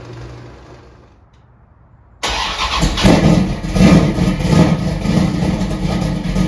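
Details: 1968 Dodge Dart drag car, stroker Mopar small block with solid roller cam, MSD upgrades, cold start: starter spins briefly, V8 catches hard into a loud lumpy choppy idle with even firing; clean cold start.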